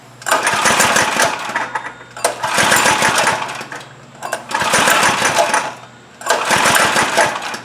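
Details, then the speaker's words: Trailmaster go-kart, Chinese Honda-clone engine, sat over a year: four cranking bursts about two seconds each with choke pulled, engine spins but never catches; no-start from dirty carburettor. "Still nothing. [Applause] Let's try it without the choke. That choke uh lever is really really loose. I don't know if it's even working."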